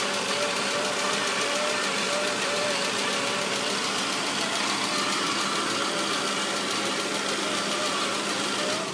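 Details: 2004 Saab 9-5 engine at idle, with a steady thin cat-like whine above the even idle that doesn't change. Source of the whine unknown.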